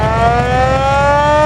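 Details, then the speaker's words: 1947 Ford fire truck: loud mechanical siren wail holds a strong tone, climbing gradually in pitch as the rotor spins up; the siren works properly. "And the siren, you heard it."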